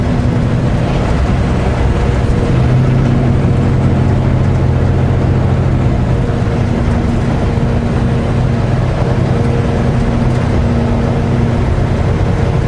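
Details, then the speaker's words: Truck cruising: a steady low howl under the road and engine drone, like rough big tread; the non-mechanic driver suspects a bearing and plans to pull the steer hubs to check for heat. "what does that sound of a howling sound like the sound you would get from rough tread a big tread on a i'm not mechanically inclined but is that a sign of a bearing or something going i hope not"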